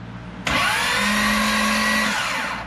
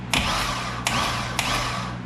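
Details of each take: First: 2005 Corvette with a built supercharged motor, starter jumpered directly: a sudden high, steady whine for about two seconds with no engage or disengage click; the starter is spinning without engaging. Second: 2005 Chevy Corvette built LS engine, stock starter reinstalled, triggered via relay with jumper wire: three sharp metallic clanks over a steady hum; starter engaging and disengaging cleanly, unlike the old starter.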